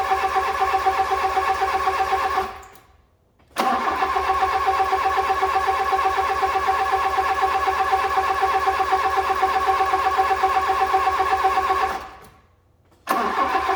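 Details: Fiat Punto GT restarted after refuelling, having stopped likely from running out of fuel or bad fuel: even, steady idle with a smooth regular beat and a couple of brief cut-outs; healthy once running.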